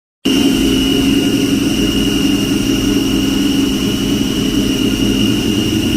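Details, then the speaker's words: 2003 Ford Mustang Cobra running: a steady high whine with a lower rough buzz, staying constant; owner suspects the throwout bearing or clutch, with a new clutch, bearing and cable ordered. "guys that disgusting sound coming from this thing pretty sure it was a throwout bearing clutch related so I went ahead and order everything"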